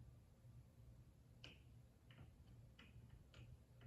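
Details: Hampton Bay Redington III ceiling fan with a bad capacitor: sharp, dry ticks about 1.5 per second over a low motor hum. Cause of the ticking suspected, not confirmed.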